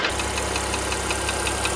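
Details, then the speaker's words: Porsche Panamera 3.0 turbo petrol engine at warm idle, brought in for engine noise; sharp, even ticking about five or six times a second appears once hot and rises with road speed when driving: hot-engine ticking, source unknown. "지금 차주분께서 엔진 소음이 난다고 해서 입고를 하셨는데 몇 가지 점검하다가 열이 받으니까 이런 소음이나요"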